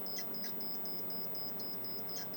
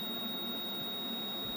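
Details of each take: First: Pole Position arcade PCB repair, logic probe on size enable line at 8E pin 3: steady rapid high beeping pulses, about four per second; enable line now toggling, changing as cars get closer. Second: Pole Position arcade video PCB under repair, logic probe on the size-enable line at chip 9K pin 5: a steady unbroken high tone with no pulsing, so the signal is stuck and not toggling.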